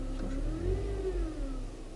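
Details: Toyota Spasio, warm engine: a thin howl rises and falls with gentle throttle over the engine hum, absent without throttle; started suddenly after 4 years; alternator bearing or belt suspected, belt recently tensioned; whine under throttle.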